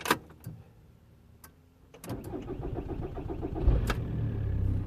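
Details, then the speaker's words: 2006 VW Golf Plus 1.9 TDI (BXE): starter cranks slowly and steadily a couple of seconds before catching and idling; long cranking persists despite four brand-new glow plugs, cause still being diagnosed. "it's still taking a Le bit for some reason I mean the glow plags are brand new glex all four brand new glex"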